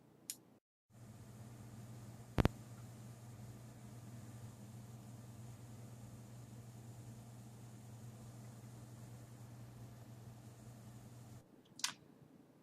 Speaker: So this is going to be pretty similar anyways. So this is what the reference R9-290 sounds like